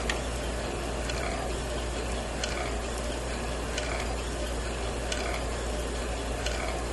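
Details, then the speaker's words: Victrola Re-Spin Bluetooth record player at 45 RPM, heard with the volume muted and absent at 33 RPM: a steady mechanical rasp with a faint tick about once a second. Grinding and straining drive noise. "there's something that sounds like it's kind of straining a little bit kind of grinding a little bit it doesn't affect the sound it still sounds good"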